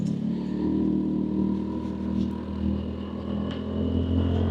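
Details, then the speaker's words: Lexmoto Cypher on its third and final test ride after earlier issues, checking bearings: steady engine drone with a clean drive hum under road noise, riding well with no burning smell, no smoke, and the clutch disengaging properly; normal running. "but bike's riding well no burning smell no smoke clutches disengaging like it"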